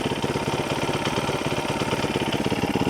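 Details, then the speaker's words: ZS212 4-valve engine in 2025 Boom Vader BD125-10 Grom clone, after swapping knockoff Keihin for Nibbi PE28 carb, cold, no choke, idle set around 2,000 rpm: quick, even putter with no misses, surging or hissing; running smoothly. "I'll let her idle a little bit. Seems to hum along pretty good so far."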